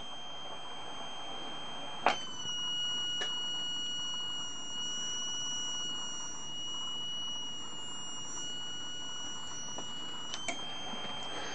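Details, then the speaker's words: Heathkit HW-22A 40-meter SSB mono-bander transceiver in tune position into a dummy load, putting out about 40–45 watts: a clean, steady high whistle with brief clicks, tuning normally. "in the tune position get out over 40 watts 45 watts this is a test and only a test just to see how the transmitter works into a dummy load"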